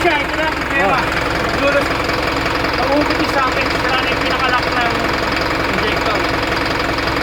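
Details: Isuzu NPR diesel at idle, check engine light on with DTC P0202 (cylinder 2 injector circuit): irregular knock about once a second over the clatter, a misfire traced to a loose cylinder 2 injector connection.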